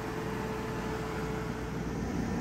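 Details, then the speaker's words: Aprilaire E100 whole-house dehumidifier, bought non-working and repaired after possible shipping damage pushed the pan into the blower bracket and jammed the blower; now dehumidifying; blower much louder than compressor; steady airy whoosh, normal running. "Oh, I don't know if you folks can hear the change in the tone there, but the compressor just kicked on. The blower is definitely much louder than the compressor."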